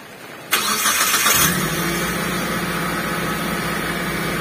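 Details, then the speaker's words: T120SS injection car after throttle body/ISC cleaning and radiator refill, cold start in rain: engine catches instantly, flares briefly, then settles into a steady fast cold idle without hunting, rpm dropping quickly as it warms; normal. "bisa kelihatan ya untuk posisi jarum rpm nya tidak terlalu lama untuk posisi rpm nya itu turun dan sudah dipastikan apabila suhu ya suhu temperatur semakin panas otomatis untuk posisi jarum RPM ya tempatnya jarum yang ini untuk Posisinya itu semakin turun atau semakin rendah"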